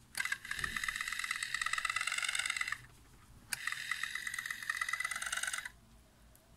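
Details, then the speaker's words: Pioneer A-702R amplifier on power-up: two bursts of high buzzing, grinding whir about two and a half seconds each from the Alps motorized input selector; worn selector gears, later replaced. "Słyszycie ten dziwny dźwięk? Ewidentnie, słuchajcie, musimy faktycznie rozebrać selektor i zobaczymy, co tam się podziało w środku."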